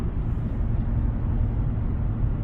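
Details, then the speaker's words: 2016 Toyota Camry driving at about 50 mph after fixing an underbody noise that appeared at 50–60 mph: steady low tire and road rumble with no drone, rattle or whine; noise gone, cruises quietly. "y el ruido ya no se escucha. Eso quiere decir que sí. Era lo que yo pensé."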